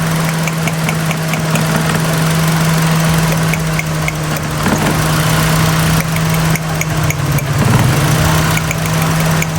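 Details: Idling petrol car with an uneven, lumpy beat and shaking, rpm rising and falling, no scanner codes after heavy rain: misfire from water in a Chinese ignition coil on cylinder three/four; plugs also checked.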